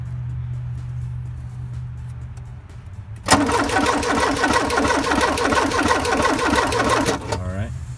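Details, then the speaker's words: 1984 Porsche 944 with fuel at rail after new tank and filter, injectors recently cleaned and flow-matched: starter cranks steadily about three turns a second, engine never fires; injectors not clicking, not working. "I can't fill this one clicking as he's turning the engine over and I don't feel a clicking coming from the rest of these so that pretty much proves to me that the injectors are indeed not working"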